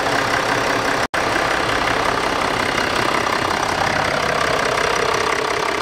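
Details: 2014 Range Rover Sport 3.0 diesel idling steadily right after a new fuel filter (MAHLE KL-1044) was fitted and the system primed by cycling the ignition five times. Even diesel clatter with no stumble, surge or stalling; normal diesel idle.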